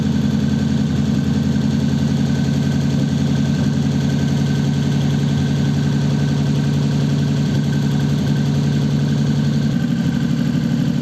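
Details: 1933 5-window coupe, worn "crusty" flathead started after nearly 3 years parked, idling through dual pipes with very short mufflers, ammeter showing charging: low, even idle with a steady firing beat and no knocks or misses; normal idle.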